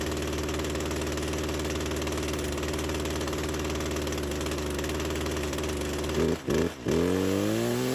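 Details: Old Craftsman chainsaw that sat for years; steady two-stroke idle, then revs stumble and dip twice before climbing with a puff of smoke; hesitation on acceleration, owner suspects clutch hanging up.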